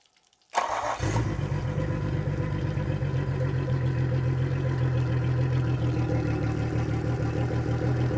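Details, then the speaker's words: 2003 Yamaha 225 four-stroke outboard, after fuel flush and leak cleanup: quick crank, catches at once into steady low even idle; shifts forward and reverse, a little backfire/miss on throttle, otherwise sounds pretty good. "Sounds pretty good actually."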